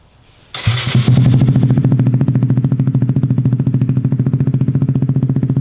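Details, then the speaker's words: 2017 Kawasaki Z125 Pro single-cylinder with newly installed Hindle Evo megaphone exhaust: idle thumps along evenly at about three and a half beats a second, no whistle or hiss at the exhaust gasket; healthy idle. "There we are at idle."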